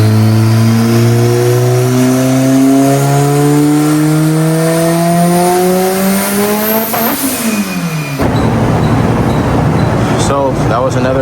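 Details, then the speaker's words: Big-turbo Mitsubishi Evo, dyno pull after raising the boost cut limiter, no boost-controller duty set yet: pulls hard with rising pitch, then abruptly stumbles near the top, overboost hitting boost cut again; tuner hopes the wastegate valve isn't staying shut. "boost cut. I raised the boost cut up and hit again."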